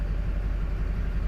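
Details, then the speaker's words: 2005 Duramax, Allison 1000, 299K miles, after replacing cracked flexplate and fixing shorted transmission wires: steady even diesel idle, no clank or knock; sounds as it should. "We got the truck back and running. Sounds like it's supposed to."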